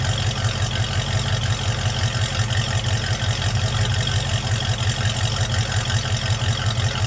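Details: Project truck warm start after vacuum leak fix, intake put together, rebuilt rear end and painted exhaust: low even rumble, pulses nearly three a second, no hunting or hiss; smooth warm idle.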